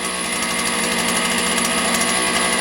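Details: Motor Sich 270 chainsaw, high-pitched two-stroke, after replacing the ignition coil: settles into a steady low idle without throttle, no stumbling or dying; starting and idling fine.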